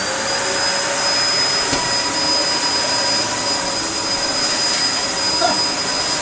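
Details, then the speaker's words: Vintage Dyson DC01 with 1000 W motor, running after its blown 3 A plug fuse was replaced with a 13 A fuse: even high-pitched motor whine with a strong airflow rush. Normal running. "it seems like it it's going to run you can hear"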